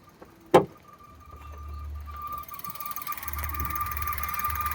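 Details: Maruti Suzuki S-Presso VXI-Plus, bonnet open at idle: thin high squeal held steady from the front of the engine; owner suspects a water pump problem with coolant, source not confirmed.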